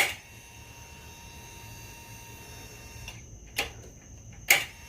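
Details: 2008 Yamaha V-Star 1300 Tourer, no-start with no fuel, after fitting a new higher-grade fuel pump with a temporary fuel line to the reserve tank: steady high electric hum about three seconds, then a couple of clicks; pump priming normally.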